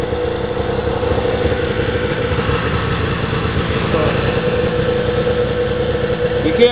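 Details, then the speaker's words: 1996 Polaris XLT 600 snowmobile, first start after rebuild and tune, sat two weeks, started without choke: loud, steady two-stroke idle with an even, unbroken beat, no misses or rattles; clean, healthy-running sled. "choke it because the [ __ ] flood out that's how a well-tuned sled should start"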